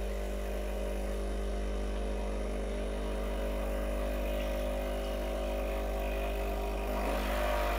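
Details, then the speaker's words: Breville Barista Express BES870 pump running an end-of-session blank shot to clean up; steady low buzzing hum with water flowing evenly. Normal pump operation. "dump out the coffee run a blank shot just to clean it clean things up"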